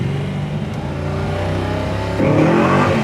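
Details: 1966 Mustang K-Code, 347 stroker V8 with about 50 miles on rebuild, new 4bbl carburetor, distributor and ignition, 5-speed manual, dual exhaust, driving: deep V8 rumble climbing cleanly under throttle, pulling hard, no misses. Normal acceleration.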